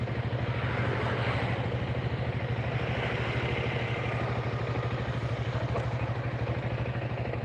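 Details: Engine that was noisy after a rebore and new piston, once the reversed piston is corrected: even, steady idle putter with no knock or clatter; sound now back to standard.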